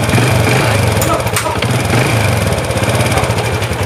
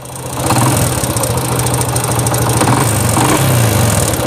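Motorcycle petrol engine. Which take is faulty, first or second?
second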